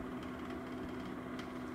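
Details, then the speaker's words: 3-month-old Venta LW35 airwasher: steady motor hum with light uneven clicking rattle that seems to come from where the fan meets the rotating discs; fixed by turning the gear around and properly seating the coupling. "Lo tuvo para alrededor de tres meses y se ha desarrollado este Sonajero interesante que puedes escuchar."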